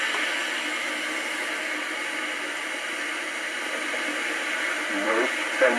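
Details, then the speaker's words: 1964 IBM 214 Executary dictation machine after resoldering a broken wire: steady white noise still loud, burying weak playback; machine slightly works now; noise suspected to be capacitors needing replacement; drive belt also stretched and slipping. "so apart from sorting out the white noise which could well just be capacitors that need replacing"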